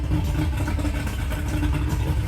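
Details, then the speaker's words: Mercury two-stroke oil-injected outboard idling on water muffs after replacing the oil reservoir cap and topping off two-cycle oil: low, even drone, oil warning alarm no longer beeping after a slight rev. "Okay, let's try again. Oh, I missed it, but it stopped beeping."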